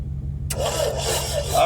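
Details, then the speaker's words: Old Chevette with starter fluid poured in and good spark confirmed: a steady starter whirr with even cranking pulses and no firing at all; it cranks but won't start, and low compression is suspected. "We just probably don't got no damn compression. I can almost bet that's what it is."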